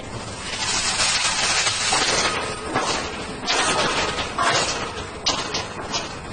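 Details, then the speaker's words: Piping system: sharp, irregular bangs and crashes over a steady rushing hiss, the sound of water hammer. "however these dynamic forces can cause significant problems as seen in the picture that shows the failure of flexible joints due to steam hammer and in this youtube footage where you will hear and see the effects of water hammer"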